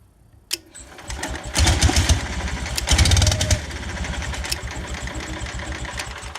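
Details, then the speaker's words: Onan 4 kW generator (MCI MC9 bus conversion) coughs to life in two short ragged bursts, then sags to a weak uneven run. Spark was restored by a missing fuse. It fires on carb cleaner spray but won't run on fuel; the fuel pump was found not pumping. "I found out that the so it would fire up with carb cleaner but it would not run the fuel and I determined that the fuel pump was not pumping"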